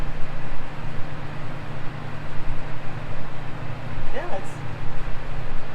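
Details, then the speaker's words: Cheap Porta A Cool evaporative cooler, tank refilled, pump running and fan turned on: smooth, constant low hum with steady fan drone, no knocks or scraping; said not to work but runs normally. "well, that's awkward. It's working fine. The whole premise of the video was fixing something that doesn't work."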